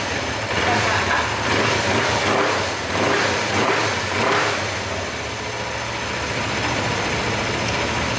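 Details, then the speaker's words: Motorcycle engine idling evenly after replacing the balancer gear, with slight intake hiss and no rattle or knock; the earlier ticking noise is gone, normal idle. "Setelah motor dinyalakan dan ya bunyinya hilang."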